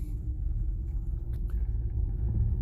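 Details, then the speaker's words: 2009 Ford Escape Hybrid on its first test drive after no-crank/no-start repairs, driving in electric mode: only low road rumble and tyre noise with no engine firing, a smooth, quiet electric drive as expected. "all right so we're driving we're in electric mode there"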